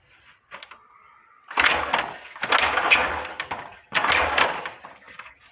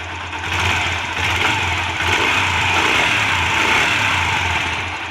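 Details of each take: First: Yamaha 125 single (YBR/XTZ 125): after some handling it fires up with a loud, clattery mechanical racket over the idle; play found in the camshaft bearing. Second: Yamaha 125 single (YBR 125/XTZ 125) after checking valve clearance and cam chain for engine noise: settles into even, steady idle with clean beat, no knock or clatter, now without noise; normal idle.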